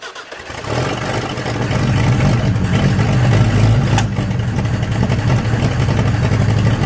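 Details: 1963 Nissan Junior ute, last driven 15 years ago, carburetor leaking: cranks and catches into a deep, uneven, lumpy idle that won't hold; runs better on choke, seems lean and starving at idle, backfiring.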